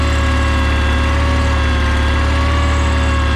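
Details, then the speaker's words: John Deere 318 lawn tractor after easy no-start fix (battery terminals cleaned, oil full), started on the key: small twin fires right up, settles into a steady even low idle with no misses, knocks or rattles; normal. "Just super easy. Turn the key. Fires right up, no problem."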